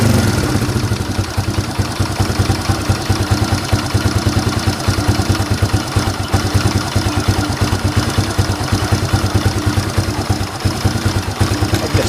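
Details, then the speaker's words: Fury 125 single-cylinder motorcycle idling after DIY carburetor repair kit replacement: busy light tick about three times a second over the exhaust beat; owner dismisses the engine ticking, cause undetermined. "Huwag mo na lang po pansinin yung ingay ng makina, yung salagitik."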